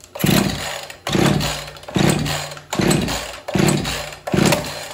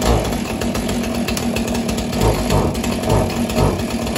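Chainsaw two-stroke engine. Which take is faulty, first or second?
first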